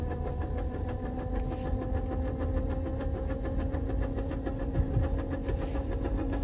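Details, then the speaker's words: NV4500 manual transmission gear whine over engine drone in 1st and 2nd gear; teardown found excessive input shaft movement from worn bearing, input gear missing a tooth, and a wonky shift collar. "this is what the input shaft is doing you can see how much Movement we have throughout the whole damned assembly and the input shaft is missing a tooth right there the bastard"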